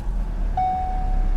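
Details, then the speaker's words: Ford salvage-auction car, key start: freshly started engine settles into an even steady low idle with no knocks or misses; runs perfect. "Listen to that. Runs perfect."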